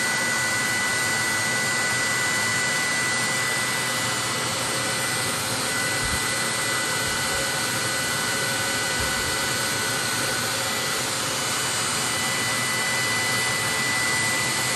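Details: 30,000 BTU/hr multi-fuel fuel-fired personal cab heater for a 1973 M35A2 deuce and a half, after switching from run to off: blower pushes mildly warm air until it shuts off, nozzle then about 114 degrees; even, steady fan rush, no grinding or pulsing; normal cooldown.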